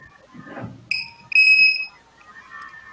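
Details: Control-line model battery with a voltage checker set to about 3.7V per cell: two sharp high beeps, one short and one about half a second long. The cell has hit cutoff voltage and must be disconnected; low-voltage alarm.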